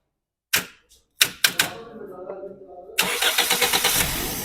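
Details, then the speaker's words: Toyota Corolla that would only start once the starter was released: after reconnecting a loose ignition current wire, short starter bursts, then it fires straight away and settles into a steady idle, a normal start on half a crank. "यह गाड़ी अभी मैंने current लगाया और गाड़ी start हो गई बंद करके दोबारा स्टार्ट करें ये हाफ सेलफ स्टार्ट अभी गाड़ी हो गई है"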